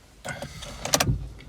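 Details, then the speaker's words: 2018 Corsa E, 10K miles, salvage repair with cloned ECU and deployed airbags: with the key on, a short electric hum of about a second with a few clicks as the fuel pump primes normally. "everything comes on as you'd expect. It says obviously service airbag because they've gone off. You can hear the fuel pump prime."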